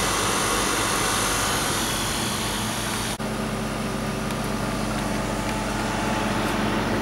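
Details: Static refrigerated trailer condensing unit, after resetting the tripped compressor breaker, cleaning the condenser, replacing the out-of-spec run capacitor and oiling the fan motor: even steady compressor and fan drone, no knocks or rattles; normal running.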